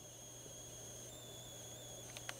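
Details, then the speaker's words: Lenovo T500 laptop display powered on during inverter board and CCFL work: faint, steady high-pitched hiss with a thin whistle over low mains hum, like steam from a radiator; backlight inverter/CCFL area suspected, cause unconfirmed. "of sounds like steam coming out of a radiator a little bit"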